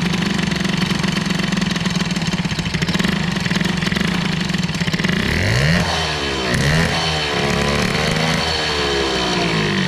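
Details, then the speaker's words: Two-stroke moped with new air-cooled BOOST hybrid cylinder head being run in and tuned: harsh, buzzy note rising and falling with throttle, unusually loud; exhaust ball joint leaks due to steep angle, another exhaust considered; excessive noise. "alors bon on va essayer de comprendre ce que c'est que ce bordel j'aimerais bien que ça fasse moins de bruit mais ça va pas être facile"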